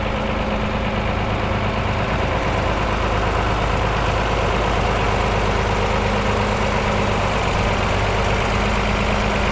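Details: Mercedes OM366A turbo diesel (170 hp) after its fuel pump was rebuilt with new plunger pairs; the worn, unbalanced pump used to clatter slightly, but now it runs evenly. Steady even idle beat, no surging or irregular clatter; normal idle.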